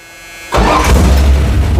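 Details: 1983 Dodge Ram 1500 custom cab, 318 V8 with headers, 4-speed manual, in winter: starter whirs briefly, engine catches instantly and settles into strong even fast cold high idle on choke, no misses; sounds great.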